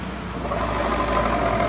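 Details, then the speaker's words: Honda Vario 125 scooter, rear wheel turned by hand with the engine off: a low, continuous gritty growl that stays even with rotation; points to a worn rear pulley bearing. "Nah ini banget bunyinya kayak gini nih ini bunyinya jadi dia bunyinya pas ketika diputar roda belakang aja ini udah kedengeran bunyi ya"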